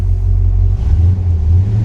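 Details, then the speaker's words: Rebuilt 1957 Chevy Bel Air V8 restarted, with a deep, even rumble holding steady with slight dips; runs well with no knocks or misses, though it is throwing power steering fluid for an unknown reason. "let's fire it up one more time shall we she does run good"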